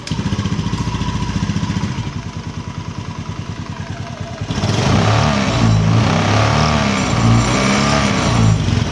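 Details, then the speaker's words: Honda Beat FI (ESP) scooter, after tightening the loose right-side part with a new 10 mm bolt to cure a "nger-nger" noise on the right: even idle putter with only a faint vibration buzz left, attributed to engine vibration; no rattle; normal idle. "Tapi sih sudah kencang nih teman-teman cuman karena faktor getaran aja ya getaran mesin ya"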